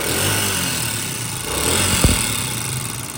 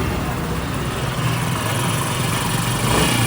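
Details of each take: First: Honda CD70 motorcycle single-cylinder at fast idle: light, rapid ticking over the exhaust beat from loose valve clearances; fixed by tappet adjustment. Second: Honda CD70 motorcycle after tappet (valve clearance) adjustment with 10 mm T-handle: steady, even single-cylinder idle thump with no tappet clatter; noise fixed.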